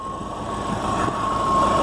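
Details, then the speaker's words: Subaru Forester with manual clutch at idle after coil, plug and wire replacement, slight idle fluctuation: steady high chirping held over quiet idle, unchanged with engine speed, from the throw-out bearing; throw-out bearing chirp. "Now the chirping that you hear is the throw-out bearing, and"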